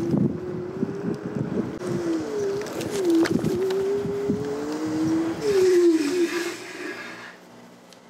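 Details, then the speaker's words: Segway Ninebot G30P kick scooter riding after rear hub motor/wheel replacement: a smooth motor hum rising and falling with speed under wind and road noise, no grinding or clicking; the new hub motor is running healthily. "I think it's good it's showing 30 km per hour and it's really quiet"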